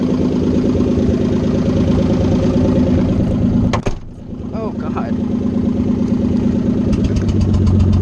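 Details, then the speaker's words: Nissan 300ZX idling loud with no exhaust (open headers), already fighting a bad misfire the owner blames on loose connectors; lumpy beat with an occasional putt-putt, owner unsure if it's a different misfire, intermittent, then sounds healthy. "god i don't know what what that putt-putt sound is i don't know if that's a different misfire or what"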